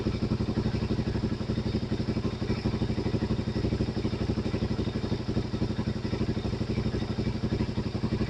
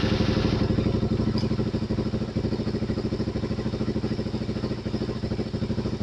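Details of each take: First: Suzuki DRZ400 with 40k miles, idling after the manual cam chain tensioner was adjusted a hair back from where chain noise began: even single-cylinder idle, steady thumps about four a second, no chain rattle or ticking; healthy. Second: Suzuki DRZ400 single with about 40k miles idling while the manual cam chain tensioner is backed off: loose, chunky rattling chug two to three times a second from the slack cam chain.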